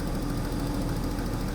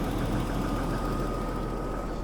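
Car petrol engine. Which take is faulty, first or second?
first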